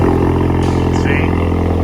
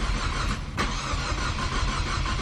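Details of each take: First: Big-turbo EcoBoost Mustang after removing faulty Nostrum high-pressure fuel pump and returning to stock pump: loud steady even deep hum, no misses, knocks or hesitation; running normally. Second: Big-turbo EcoBoost Mustang with aftermarket Nostrum high-pressure fuel pump: long slow uneven cranking with no catch; fuel pressure only 122 versus 1600 required, crank no-start.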